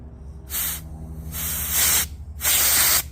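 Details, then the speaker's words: 2010 Audi Q5 3.2 with misfire and EPC light; removed, unpowered fuel injector bench-tested with compressed air: three sharp hiss bursts pass straight through when it should seal; injector stuck open, probably dirt inside. "see how it just sprayed out the end there like it's wide open that's the problem it's stuck in the open position"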